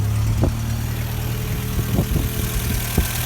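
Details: 1986 VW Cabriolet project car idling in neutral outdoors in gusty wind, waiting for the radiator fan to cut in: steady, even idle with no misses, knocks or hunting; running normally.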